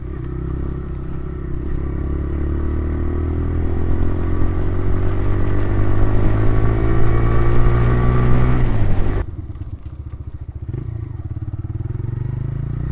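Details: TVS Raider 125 single, old bike at about 28,875, compared with a new bike: smooth even note climbs with throttle and drops cleanly to idle, no ticking or rattle; healthy.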